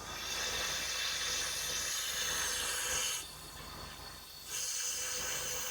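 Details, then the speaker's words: Cylinder leak-down test: steady high air hiss, briefly cutting out and returning, escaping through the intake rather than the dipstick tube, indicating bad intake valves not sealing. "so it's coming out of our intake. So we got bad intake valves."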